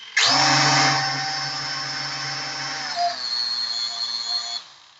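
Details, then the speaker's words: P8 Pro foldable camera drone: one motor sounds odd after racing it. A high whine spins up sharply, then settles into an uneven buzzing whine before cutting out; the motor is to be replaced. "තව මෙන්න මේකේ ටිකක් සද්දේ අමුතුයි. මම raise කරාට පස්සේ"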